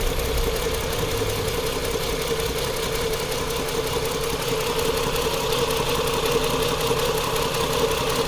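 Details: 2010 Chrysler Sebring 2.7L V6 idles unevenly with a loping stumble about three beats a second from cylinder 2 misfiring; its coil clip was off, coils swapped to test for a bad coil.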